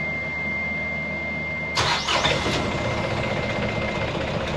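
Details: Sailboat diesel restarted after fuel hose blown clear and reconnected, drawing fuel from the tank: steady hum before catching, then fires and settles to an even run without stumbling; normal start and run.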